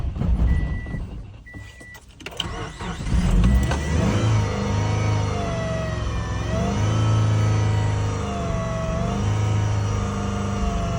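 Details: 2007 Subaru Forester 2.5XS in extreme cold: long cranking, then the engine catches and revs unevenly before settling into a rough, hunting idle; a cold hard start.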